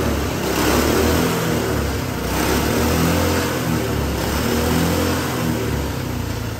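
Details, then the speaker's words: GX200 Honda-clone single-cylinder go-kart engine converted to hydrogen, running 100% hydrogen without water injection: lumpy, wavering beat with uneven revs, rougher than a smooth idle; owner says prolonged pure-hydrogen running overheats the intake valve. "Okay, so that was running 100% hydrogen."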